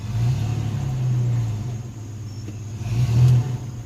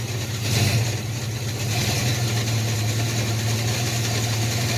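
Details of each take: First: S10 pickup with swapped 2.8 engine after drag strip passes, transmission later diagnosed with likely planetary gear failure; backing up under light throttle, low engine rumble with no clunks or grinding, reverse still works: reverse gear working normally. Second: Chevy S10 with 2.8 engine swap, automatic, after drag strip passes: slips first to second, and in first a low hum climbs with revs; shop later says likely planetary gear failure needing rebuild, fourth/converter lockup also suspect.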